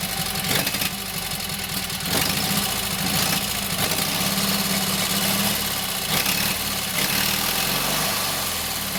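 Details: Kohler KT17 twin, first start after governor rebuild: settles into even idle, steady beat with slight speed waver. Oil pressure 50, governor pulls throttle back, timing good; carburetor high/low needs fine tuning.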